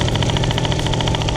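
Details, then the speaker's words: Warm Piaggio Typhoon two-stroke scooter carburettor, air mixture screw backed out about 2 turns anti-clockwise; fast, even buzz well above normal tickover, no dips; idling really high from lean mixture, idle screw untouched. "So now she's idling really high, but obviously there is a separate screw to adjust the idle, but we're not going to touch that right now."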